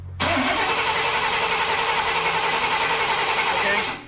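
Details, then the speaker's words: Plymouth Prowler after battery charge: steady fast starter whirr about three and a half seconds, no firing; cranks but won't start, oil pressure sender good, only little fuel drops, no fuel pressure suspected. "so it literally just little drops come out oh that means everything's working there's just no pressure there"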